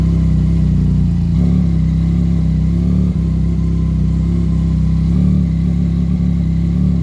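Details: 2017 Yamaha FZ-09, test run after clutch replacement and clutch cable adjustment: the engine fires and runs with a smooth, even note, picking up cleanly on each throttle blip; sounds healthy.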